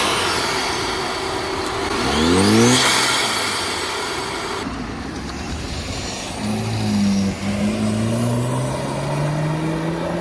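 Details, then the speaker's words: 2015 Audi B8.5 A4 allroad/Avant with a newly installed CTS intake, casual driving: a clear whistle climbs in pitch each time the throttle opens and falls back off it, over engine and road noise, like a supercharger or airplane; normal turbo spool. "All right, so the intake is now on. It actually sounds like a like a procharger almost. Doesn't sound like a how I would think a traditional turbo would sound. Sound like an actual airplane."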